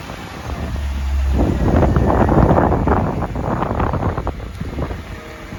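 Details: Mercedes CLK55 AMG M113 V8, first start after oil leak repair with coil packs, injectors and airbox refitted: engine catches and builds into a deep, steady burble settling to an even idle over wind noise; normal start and idle.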